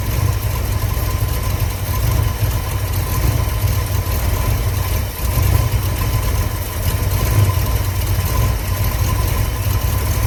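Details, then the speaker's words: Owner-abandoned project: 1965 Ford F100 body on 1974 highboy chassis, supposedly new crate 390 V8, automatic; after fuel pump filled, idles unevenly with lumpy, loping rumble; owner suspects major vacuum leak at intake, but carb-base spray test showed no change; rough idle. "For a minute there, it seemed like I was getting a lot more throttle response. It still sounds like I got a major vacuum leak. I wonder if it's my intake."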